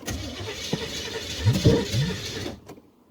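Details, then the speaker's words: Camaro with open-header V8, salvage-yard engine and plugs, new electric fuel pump just fitted; catches with uneven stumbling firing for two seconds then quits; rough start, owner suspects plug wires and ignition timing. "hmm i think i need a set of plug wires and to tweak my ignition there ignition timing just a little bit"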